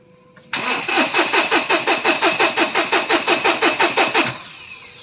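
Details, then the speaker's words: 2020 Mahindra Bolero Power Plus diesel in neutral; starter cranks at a steady even rhythm, about three compressions a second, fuel pump audibly running, but no start; faulty fuel control unit, codes P000100 and U242000 logged. "Start হোৱা নাই আৰু এবাৰ দি আছো যাব fuel pump চলি আছে fuel পাম্পৰ আৱাজ ওলাই আছে"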